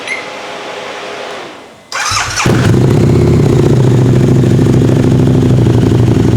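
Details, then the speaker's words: Harley-Davidson V-Rod with TTS supercharger kit, 10 psi boost, unrestricted, about 180 bhp, stronger clutch springs: brief starter churn, then a strong, even idle with no supercharger whine; normal start and idle. "yeah you tell there AR be any noise from the supercharger at all no it's ni and smooth in it"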